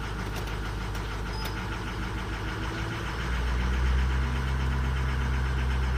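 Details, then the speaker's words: Diesel truck with 260,000 miles, just started cold: lumpy uneven idle about four pulses a second; weak injectors, 4 and 6 headed past the limit of contribution balance compensation, repair can wait but will worsen. "so we absolutely can wait until it gets bad or you know we could jump on and do it it's kind of got a little bit of issue right now going on"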